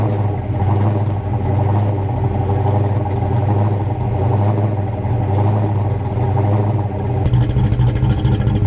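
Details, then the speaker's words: 1988 Fox body Mustang coupe, nitrous kit removed, after fixing the coil wire and faulty ignition switch; smooth, low, steady idle drone with a small lift near the end, no misfire or clatter. "So now I can finally give you guys that startup video that I was trying to do the other day. So I'll get the camera set up here, and we'll get this thing fired up so you can hear it."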